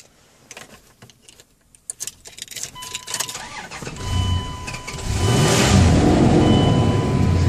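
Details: Truck starting normally after deformed battery terminal clamps were replaced and badly corroded cable ends cleaned: key clicks, brief crank, then the engine catches cleanly and settles into a steady idle.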